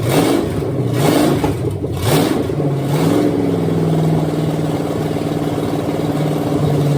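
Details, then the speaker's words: Bone-stock Chevy 305 V8, leftover motor formerly in a van, heads put back on, first start on fresh gas for a 53/54 Dodge tow truck: blips then settles to steady, even idle, no misfire or knocking; normal idle. "there we go that was easy enough so it looks like we got a runner doesn't sound too hateful I mean it's just a 305 it's bone stock but at least it has all eight cylinders"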